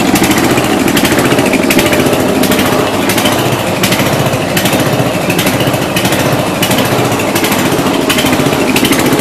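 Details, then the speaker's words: 1992 Yard King lawn tractor with gear-drive transmission, first start after about seven years sitting, cold engine on choke: uneven, loping putter with irregular beats and rough idle, not smoothing out. "oh this thing is going to be tricky ain't she yeah start choking it again there we go yeah she's cold"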